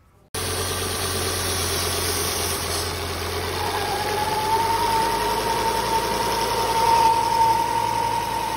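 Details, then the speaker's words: Volvo P1-platform engine (S40/V50/C30/C70) at idle: a thin, high whistle rises from the valve cover. The PCV diaphragm in the oil filter housing is torn, pulling excess crankcase vacuum past the oil fill; fixed by replacing the housing. "Basically what happens is when the diaphragm tears on this, you get a high amount of vacuum in the crankcase that vacuum tries to seat past the oil fill, and it makes a sort of whistling or worrying noise."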